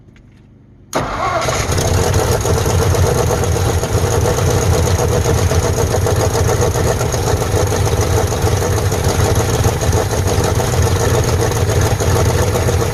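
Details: 1948 Ford F5 bus abandoned 25 years: cranks and catches, then a loud, slightly lumpy idle with uneven beat; owner says it needs a tune-up, carburetor rebuild and throttle linkage hooked up, cause not confirmed. Rough idle.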